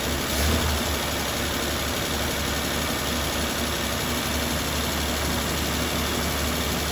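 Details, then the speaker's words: 1939 Dodge D11 sedan six-cylinder, unrun about 20 years, idling after revival with float bowl filled; smooth even idle, steady drone, no stumble or misfire, normal. "so it cranks right up now we'll fire it back up here so"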